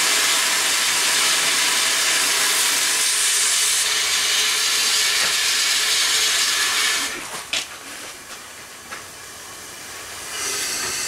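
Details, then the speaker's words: Upright steam engine that sat for years, tried at about 20 psi boiler pressure. Steady hiss of blowing steam with no regular exhaust beat: the eccentric has moved, so valve timing is wrong and the engine won't run. "okay folks uh not running uh we have figured it out that the eccentric has moved it's not where it's supposed to be"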